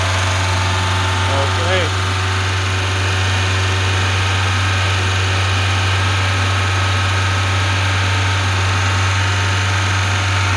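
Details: Lada 2104 carbureted engine, choke off, idling; steady even low hum, no misses or knocks. Owner suspects a bad fuel pump caused the no-start but is unsure.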